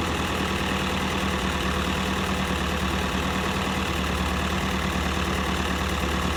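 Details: M151A2 MUTT four-cylinder idling after valve adjustment: steady, even low rumble without ticking or misses; normal idle.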